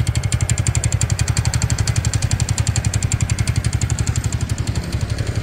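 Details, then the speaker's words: New TVS Ntorq 125 scooter at idle: sharp even tapping about four ticks a second over the engine beat; suspected timing chain, starter (self) bearing or loose magnet, not confirmed. "यह देखिए सा रहा है टक टक टक टक टक टक करके कैसे साउंड हो रहा है ये सुन सकते हो"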